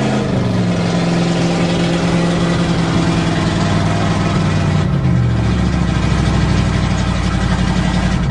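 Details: 1977 GMC 400 V8 truck warming up after cold start, choke pull-off rod adjusted: smooth, even idle with deep steady hum and slight speed lift midway; runs clean, normal warm-up idle.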